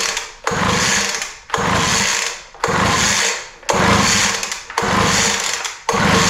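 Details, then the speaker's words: Poulan Pro 200 mph blower that doesn't run, in a start-on-spray test with carb cleaner and the kill switch on; six rough pull-start bursts that never catch or fire, a cranking no-start, cause not yet found. "it all right well no luck there so we're going to have to look a little deeper"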